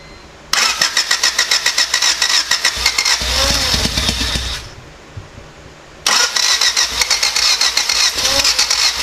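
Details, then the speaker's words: Lifted Civic project car, OBD1 D16Z6 swapped in with an OBD2B conversion, first start after rewiring injectors to OEM plugs: rapid, even cranking chatter, then it catches and runs a few seconds before another crank; fires and runs normally. "Alright, well that's definitely a win for today."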